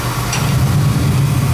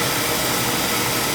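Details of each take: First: Oil burner gives a steady low roar with even motor hum, no puffing; firing cleanly. Draw assembly is suspected set too far in. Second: Oil burner fed from an outside tank, with a steady roaring hiss of fan and pump. Air is being bled from the oil supply line after reset while oil starts flowing. The tank level may be low.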